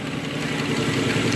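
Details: Nissan Murano V6 with code P0303: uneven, stumbling idle that misses a beat in a regular pattern, a misfire on cylinder 3 (rear bank) from low compression, found by a relative compression test without removing the intake manifold.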